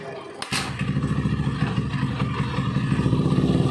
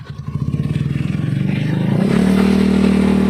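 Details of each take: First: Honda Beat carburetor scooter after fixing rattling CVT noise by refitting CVT cover support boss: revs up smoothly, steady engine note rising in pitch, no rattle from belt drive; CVT now quiet and healthy. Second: Honda Beat carburetor scooter revving: rough pulsing rattle turning into a steady coarse grinding drone from the CVT, a ngeresek noise reported by the rider; cause traced to a worn rear pulley shaft.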